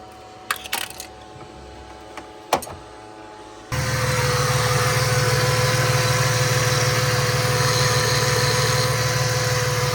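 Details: Ford AU Falcon after harmonic balancer repair: engine catches after quiet and settles into a steady even idle with no knock or wobble; possible water pump issue suspected; normal idle.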